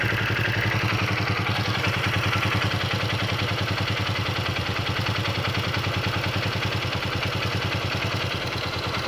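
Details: Honda XR 150 L motorcycle engine at idle: a loud, steady idle with a fast metallic clatter over the low thrum, seemingly top end. Engine noise, cause unclear.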